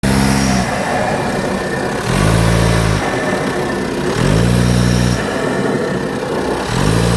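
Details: Audi A4 8K 2.0 TDI 170 PS diesel: airy intake whoosh each time the throttle closes after revving, sounding like a leaking air filter; removing the hose at the MAF sensor made no difference.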